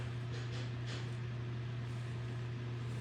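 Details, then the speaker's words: Homemade BreezeWay desk fan Model BW-6F10 after a swap to a bigger blade (which barely hits the table), on low speed: a steady low hum with a soft airy rush and no knocks or rubbing, a little noisier than the small blade; normal running. "Okay, this one's a little noisier than the small blade. The small blade is pretty quieter."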